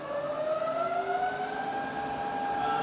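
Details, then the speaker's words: Rebuilt Bridgeport milling machine, head in low range, spindle around 70 RPM and up, forward then reverse at 130 down to 60 RPM: smooth gear whine changing pitch with speed, no knocks or grinding; quiet, normal running. "And all the way back down to 60 RPM, absolutely lovely and quiet."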